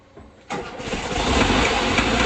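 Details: 1979 Volkswagen Bus engine, first start after it failed and was repaired, not yet tuned, hydraulic lifters still pumping up: cranks and catches in half a second, settles to even steady run, no knocks or misses; healthy.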